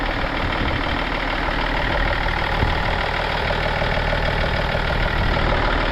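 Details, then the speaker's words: Swapped-for 2000 BMW 728i 7 Series with Alpina body kit, just started with bonnet up. Loud but even diesel-like clatter, steady rhythm, a bit of knock but judged fine: normal idle. "Yeah, sounds good. Call a bit of a diesel knock, but no."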